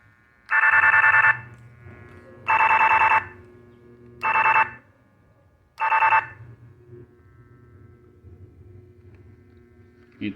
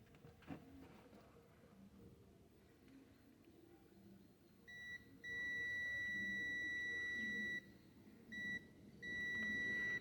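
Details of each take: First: Electronic gate remote tested with an AM radio tuned nearby: four sharp raspy buzz bursts of about a second each, one per button press, showing the remote is emitting its frequency normally. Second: Rossi electronic gate remote control, multimeter continuity test on a worn button with its return spring missing: steady high beep almost continuously, even before full contact, because the button is shorted with no return function and needs replacing.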